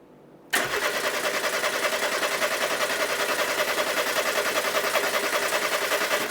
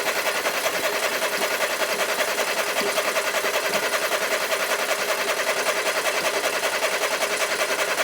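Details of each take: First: 1990s French hot hatch barn find, turned over with all HT leads off to lubricate the engine: even cranking at about three and a half beats a second for six seconds, with a faint crackle. Healthy cranking with no firing. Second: 1990s French hot hatch barn find, cranked with HT leads refitted and ignition on, hoping the fuel pump runs: steady, fast, unbroken starter whirring with no firing. It won't start; checking a plug for spark is one option.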